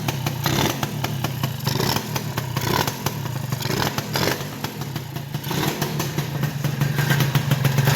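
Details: Old Honda Elite scooter single running after the dead stock ignition was replaced with a new stator, its first firing. Rising and falling throttle blips over a steady low thrum, no knocks or grinding: normal running.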